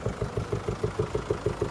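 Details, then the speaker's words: 2017 (H29) Mercedes-Benz E220d diesel with 390,000 km, former private taxi, at idle: even popping pulse about six beats a second on the engine note; dealer could not fix it, gears won't upshift without paddles; rhythmic popping. "この車でポンポンポンポンポンポンが止まらず中にいるとあんまり聞こえないかもしれないですけど実際はもうかなり危険な状態で今も走れるんですけど"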